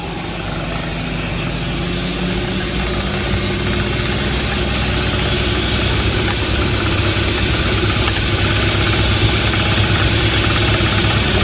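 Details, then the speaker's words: 2014 Honda Ridgeline Sport 4x4, underneath at the driveline: steady low rumble and hum with a faint rhythmic shudder and slight driveshaft rattle. The rear differential shakes, and the bad rear U-joint is non-serviceable, requiring replacement of the rear driveshaft. "We can we can see the rear differential shaking. So, we need to check out the U-jints. You can kind of hear the drive shaft rattling a little bit."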